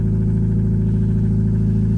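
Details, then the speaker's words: Newly bought used Subaru at cold idle; loud deep steady rumble with raw unmuffled drone, exhaust disconnected underneath: exhaust leak. "That exhaust is no longer connected under there."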